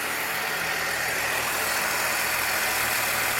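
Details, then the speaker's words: 1966 Chevrolet C20 with 292 engine on first start after the work, not yet warmed up and idling a little fast: fine, even valve train ticking with no single loud tap. Normal valve train at idle. "Man, it's beautiful. It's running a little fast, but we're going to let it warm up"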